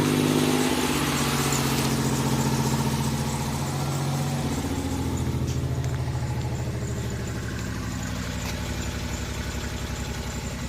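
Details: 1988 Oldsmobile Cutlass Ciera 2.8 V6, 44,000 miles, cold start after freezing night with check-engine light on: engine settles from higher speed into a steady, even idle after idle air control valve replacement; idle comes down properly.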